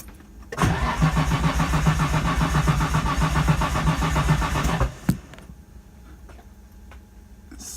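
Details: Datsun 240Z with RB20DET swap: the starter spins the engine at an even whir, about four turns a second, for four seconds with no firing. Cranks but no start; the injectors look clogged or broken, and the owner suspects the injectors or the ECU.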